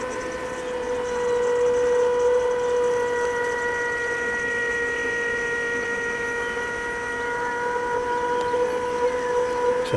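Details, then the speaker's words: Land Rover Discovery 2 Td5 after fuel line repairs, ignition on with engine off; steady high electric whine holding even pitch about ten seconds as fuel fills the filter; normal lift pump priming. "that's the sound of the fuel filling the filter and priming the system right"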